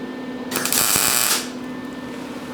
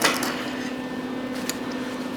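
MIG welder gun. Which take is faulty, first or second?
second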